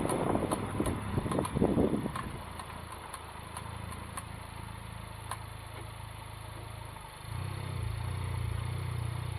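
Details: Honda Civic Type R FK8 turning slowly: sharp uneven clicks, two or three a second, from front passenger wheel over low engine hum; CV boot/joint checked and looks intact.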